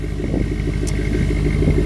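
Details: 2001 Jeep WJ, V8 bored over to about 4.75 with new heads, dual air filter, hood vents and stock 2.5-inch exhaust: deep even idle burble with a steady pulse and no ticks, knocks or rasp; normal idle.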